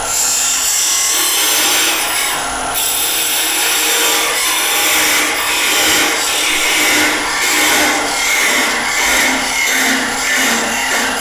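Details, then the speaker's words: Wood lathe, thin parting tool cutting down at a vase's base, hissing scrape with a faint chattering edge; vibration is the sign to stop short and finish with a saw: parting tool chatter. "as you start to hear that vibration that's the time to stop"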